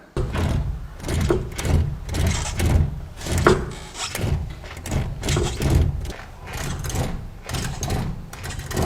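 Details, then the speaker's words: Chevrolet clunking when steering, car lifted and front wheel rocked; dull repeated clunks from the strut top mount; paint marks separated showing a loose strut top nut, mount and bearing fine; tightening the nut cured it. "大家认真看，这两个油漆顶被分开来了，说明螺帽松动了。如果螺帽扭紧的情况下，它这两个顶转动的话是不会分开的。"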